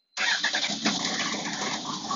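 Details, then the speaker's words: Honda Fireblade 929 engine on stock loom, newly fitted ECU and replacement wiring loom, starter hot-wired with fuel pump running: brief cranking, then it catches straight away and settles into an even, steady run; starts cleanly. "Bingo. So we're now over the initial problem of trying to get it to run."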